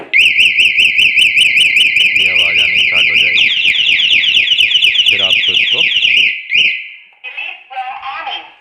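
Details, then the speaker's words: Bajaj Pulsar 220 aftermarket anti-theft alarm triggered by touching the bike a second time: loud shrill warbling siren, fading into chirps. It keeps sounding 1–1.5 minutes, then stops automatically. Working as intended. "और ये कम से कम 1 से 1.5 minute तक ऐसे ही siren बजता रहेगा, फिर उसके बाद ऑटोमेटिकली बंद हो जाएगा।"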